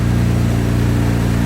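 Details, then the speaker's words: 1999 Mitsubishi 3000GT VR4 after rebuild work, running with the heat on full to burp the coolant system. A steady, smooth engine note holds an even speed with no knocks, misses or whine, sounding much better than before. "is sounding pretty good all right [Music] yeah sounds so much better"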